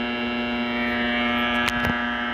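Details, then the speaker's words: 1941 Crosley 52TA AM radio after a partial recap, powered through a 40 W bulb limiter: a loud, steady low buzz with even overtones and no programme. Mains-type hum, later found to be largely caused by nearby shop lights. "pilot lights lit oh she's alive look at it it buzzes that tube's"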